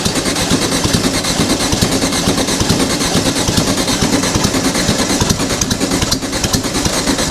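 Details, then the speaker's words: Dune buggy first start, with plenty or probably too much fuel: loud ragged engine with uneven sputtering beats never settling into a clean rhythm; rough start, possibly over-fuelled. "come on baby find it I know you got too much fuel"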